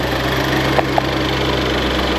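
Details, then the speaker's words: '88 Ford Festiva with 1.6 EcoBoost swap from Fiesta ST, after rewiring fix: steady, even, low smooth idle hum with no knocks or misses; throttle response restored. "it now runs as smooth and as beautiful. I have my throttle response back. and it's ready to go."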